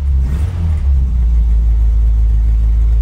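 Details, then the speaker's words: Classic Austin Countryman Mini, carbureted, started with choke partly out, in neutral: deep, steady rumble with an even beat, no knocks or misses; running smoothly. "you hear it starting to grab some fuel now it got quieter cuz it's actually pumping fuel up to the carbs"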